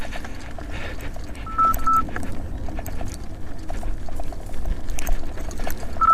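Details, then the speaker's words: 84 V Nikola electric unicycle on a hard rough-trail climb, alarm audio from Bluetooth: short high beeps in bursts over trail crunch, the overcurrent warning showing heavy current draw. MOSFETs later blew on Overheat Hill. "unfortunately most of my wheels don't have bluetooth audio but particularly good for the video here so you guys can really get a sense of of how much energy I'm consuming it on these pills"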